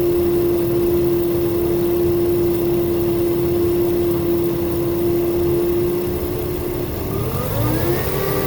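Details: 2000 Toyota Avalon XLS running: steady mid-pitched hum rising with revs from a failing alternator, which died just after a battery replacement; replacing alternator and belts removed the sound.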